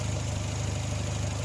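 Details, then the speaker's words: Dacia with hunting idle, after oil change and oil-system flush: low, lumpy, unsteady burble; owner's mechanic suspects intake and exhaust camshafts have drifted, giving large valve overlap; diagnosis is to adjust the timing belt/cam timing. "і тому у нас є таке враження що у нас трошки розбіглись воли як тоді чи вали впускний і випускний з великої зони перекриття про це бухтіння"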